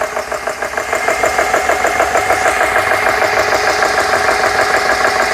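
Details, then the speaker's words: Compressor (GX CS3) after repair, dead-head set at 4500 PSI, fans on, starting under load as pressure climbs: even, steady pumping beat about two strokes a second with no knocks or rattles; sounds healthy. "Start turning. See if everything sounds okay. Sounds good so far."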